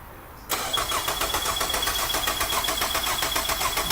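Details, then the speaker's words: 2003 Nissan Altima, battery on charger after being dead, cranking during a ground volt drop test, meter from battery negative to engine block; strong even cranking about four compression pulses a second; 318 mV, within spec. "And then lastly, you want to do the red on the negative, and then you do your black on the block of the engine. Go ahead, Rob."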